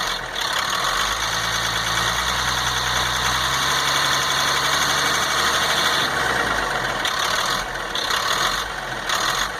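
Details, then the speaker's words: 1998 GMC C8500 with Caterpillar 3116E diesel, after fixing transfer pump sucking air: clatters at idle, revs smoothly and settles evenly; runs normally, though later restarts failed with injectors not firing, ECM suspected. "Anyways, so now you can see that it will run, and it accelerates and raises the idle like it's supposed to."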